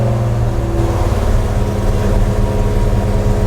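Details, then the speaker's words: Freshly built mild 340 V8 with a Holley carburetor, cold: a strong, even drone at fast idle with no knocks, ticks or misses. Oil pressure is 70 psi at 2,000 rpm; the engine sounds healthy. "and now fuel pump and now let's get it started starter we just finished building this border with the felling oil pop and here's the pressure"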